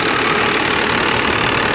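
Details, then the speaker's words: 1996 Dodge 2500 with 12-valve Cummins diesel, sat 15 years in a salvage yard, first start after bleeding cracked injection lines: steady, even diesel clatter at idle with no misses or knocks; runs pretty good. "all right here she goes all right this is our return the hell yes it runs pretty good"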